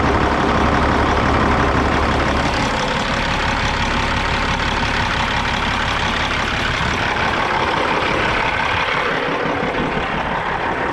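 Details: 1998 Freightliner Classic XL with a Caterpillar 3406 diesel, after a service, fuel primer cleaning and a check-valve replacement fixed its failure to hold prime. Even, low diesel clatter at a steady idle with no stumbles or knocks, with smoke from the tailpipes.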